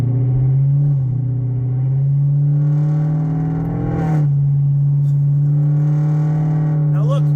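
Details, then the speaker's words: Car with catalytic converters cut off and check engine light on, driving from a stoplight under normal acceleration; deep, loud, raw unmuffled droning boom rising with throttle through the gears, smelly exhaust; exhaust drone from removed catalytic converters. "It's not tolerable. It's getting annoying at this point, and it smells."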